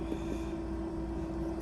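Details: Shaker incubator running at 200 RPM, 37 °C, 400 mL LB Miller broth bottle inoculated with XL1-Blue cells, cap taped; steady even hum, constant mid tone, soft whir, no knocks or rattles; liquid swirling for aeration, normal running.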